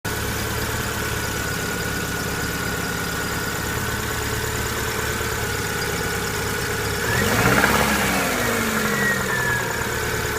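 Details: 1999 Subaru Impreza EJ22 flat-four at idle: faint rhythmic knock about three to four a second, louder as rpm rises on a brief rev; owner suspects rod knock, not confirmed.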